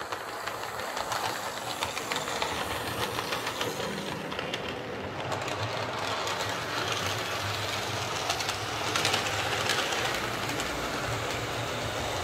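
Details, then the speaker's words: Lima L201645 Class 55 Deltic model locomotive after filing plastic flash off gears: light even whirr with soft rail clicks, no grinding or gear chatter; running much quieter and smooth. "so that's certainly running an awful lot quieter um i think filing those gears down has been the the secret there to getting this running quiet"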